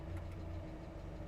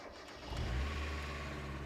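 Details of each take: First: Mazda Miata after throttle body cleaning, AC switched on at idle: low, steady idle drops slightly under AC load but holds without stumbling or stalling; engine idling normally. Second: Mazda Miata after cleaning the blocked throttle body and fast idle valve area, first start: engine catches and settles to a smooth, steady but noticeably high idle that never drops; idle set too high, no vacuum leak found.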